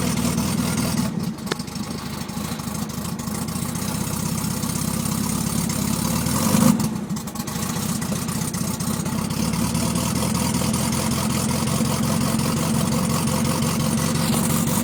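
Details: VW Beetle air-cooled petrol engine idling unevenly with an irregular, stumbling beat; owner suspects a misfire, not confirmed.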